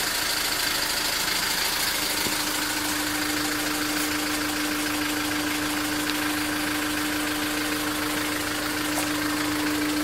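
Steady idle with a constant droning tone and light rapid ticking riding over it; an abnormal noise, source not pinned down.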